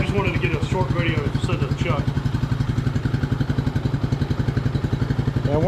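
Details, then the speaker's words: 1999 Suzuki DR200 single-cylinder, 796 miles, revived after sitting nearly a decade, carb untouched: even thump about three to four beats a second at idle, steady and unbroken; idles cleanly. "Uh, that's rush. Okay. She sounds very similar to my warrior."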